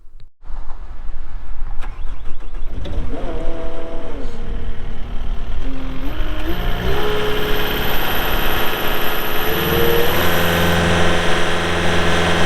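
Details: 2022 Caterpillar 262D3 skid steer diesel, 2,782 hours: cranks and catches quickly with a few electronic chimes, then settles into a steady, even idle; normal startup.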